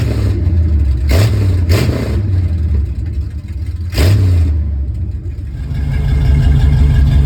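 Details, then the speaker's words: 1969 Ford F350 V8 with newly installed long-tube headers, open headers and no mufflers: a loud raw rumble with three sharp rev blips rising and falling cleanly, then a lumpy fast idle. Runs normally. "Hopefully, pretty soon we'll get a cold start with open header. See what it sounds like. I am betting it's going to be pretty loud."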